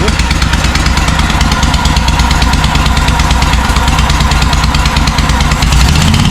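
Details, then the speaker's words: John Deere M665 zero-turn mower, twin-cylinder, after tightening bolts, earlier intermittent misfire: loud raspy chuffing on every exhaust pulse at fast idle; running better, exhaust manifold gasket suspected blown; exhaust manifold gasket leak. "It sounds like it's running strong on this cylinder. It just sounds like the uh like the exhaust manifold gasket is gone."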